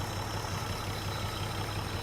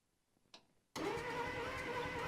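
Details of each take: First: 1949 Plymouth Special Deluxe inline engine, first run after sitting 30 years in a pasture, fed by an auxiliary fuel pump because the factory pump isn't pumping: a steady, even low idle with a soft regular chuff and no misses, knocks or ticks. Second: 1949 Plymouth Special Deluxe sitting 30 years in a pasture, first crank; starter spins steadily about three turns a second with no catch; no spark, points suspected corroded or worn, distributor cap and rotor to be removed; crank no start.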